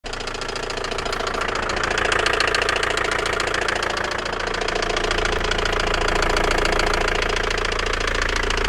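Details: Opel Vectra B engine at idle: crisp, even tapping about four times a second over the engine note; knock of unknown source.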